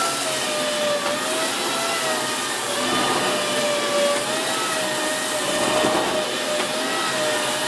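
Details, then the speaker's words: Dyson Big Ball Animal (CY23) cylinder vacuum, about three months old, cleaning carpet: steady vacuum roar with a thin, wobbling high squeal from air leaking past a loose hose joint that breaks its seal at some angles. "You hear that squealing noise again now? That's basically the joint here leaking."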